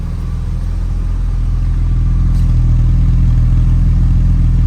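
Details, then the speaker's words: 1994 BMW E36 M3 Euro-spec S50 six-cylinder, 128,000 km, Supersprint muffler, twin-disc clutch, idling after cold start: deep even idle, steady low rhythm, no ticking or knocking; normal healthy idle. "sounds super nice super super clean car in the hood under the motor"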